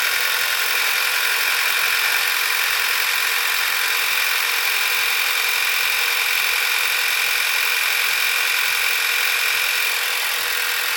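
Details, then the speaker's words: 2012 VW Beetle 2.0T TSI turbo, 40K miles, idling right after new Audi R8 red coil packs and NGK iridium plugs were fitted for sluggishness and slow starting; steady, even idle with light rhythmic injector ticking, no stumble or misfire. Sounds good, normal idle. "Okay, so it sounds good to me."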